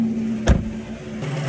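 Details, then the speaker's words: Tesla coolant distribution and pump unit running after connectors are reattached: a steady low hum under a single loud clunk, then settling to a lower tone and growing quieter over time; cause of the humming unconfirmed. "По истечению времени она, конечно, тише начинает гудеть."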